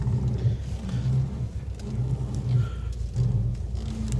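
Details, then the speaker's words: 2018 Subaru WRX STI Spec R turning at low speed on shiny concrete: a low rumbling judder in short bursts. Normal tire chatter on smooth concrete, not steering rack rattle. "listen okay that's a common thing you get with tires chattering on shiny concrete okay"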